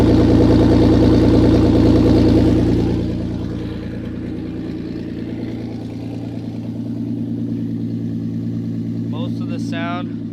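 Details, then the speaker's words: Cold-idling 1998 Audi A4 2.8 quattro V6, manual, loud rhythmic puffing chuff about three beats a second from an exhaust leak; catalytic converter hanging low, noise seems to come from the front of the engine. "Hello, this is my 1998 Audi A4 with a exhaust leak."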